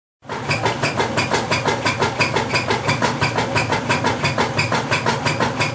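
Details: Whirlpool LSQ9200LQ0 washing machine during agitate cycle: loud, rhythmic rasping noise pulsing about three times a second.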